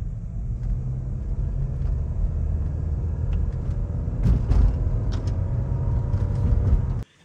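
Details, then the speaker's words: Honda CR-V in winter driving: heavy road rumble with irregular dull thumps from underneath, feels like something hitting the floor; a packed chunk of ice striking the underbody. "Ooh, okay. Sounds like something, it feels like something's hitting the bottom of the floor, for God's sakes."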